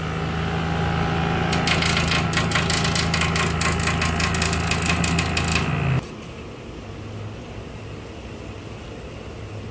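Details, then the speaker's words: Premaire PTAC unit runs with a fast, rough scraping clatter over its steady hum, then stops as the fan shuts down; loud noise from a broken, cracking fan blade, later replaced. "this one is making a loud noise and it was coming from the fan blade"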